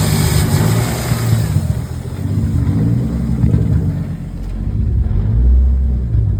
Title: M52 (Turbo) Rough Idle after ECU (Link G4X) firmware update